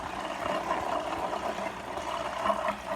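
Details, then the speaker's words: Marineland Emperor 400 aquarium filter before repair: loud rough rattling grind with an uneven pulsing mid-pitched hum, sounding like it's crumbling inside; the impeller is not pulling up enough water to turn the bio-wheels. "it's not sucking up water like it should, so the bio filters can roll, right? Sound like it's crumbling in the inside, and that's what this one was doing at first."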